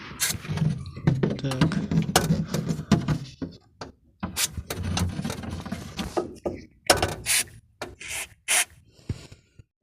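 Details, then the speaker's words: VAZ 2107/2105 trunk lid worked by hand: irregular rubbing creaks from dry hinge torsion bars; spraying them with silicone lubricant made the creak almost disappear. "если вас тоже достал скрипящий багажник на вашей семерке или пятерки то просто сделайте как я"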